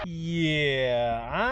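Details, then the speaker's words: Windshield wiper blade after shaving the hardened rubber edge with a wiper restorer tool: continuous high squeal sweeping down and up with each stroke; cleans slightly better but still noisy, restoration judged ineffective. "It's just noisy still."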